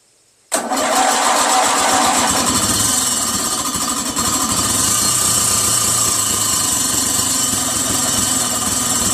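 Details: Free Briggs & Stratton 16 hp opposed-twin engine, first start after revival with a new ignition switch and solenoid, an unstuck valve, 5W-30 oil and a used carb: it fires and holds a fast, loud, uneven idle of about 200 pulses a minute; cause not pinned down.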